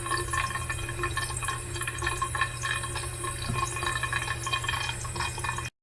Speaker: It's all tight, tight. But when you lock it off tight, it makes noise. Where's the water going? Why it is making noise?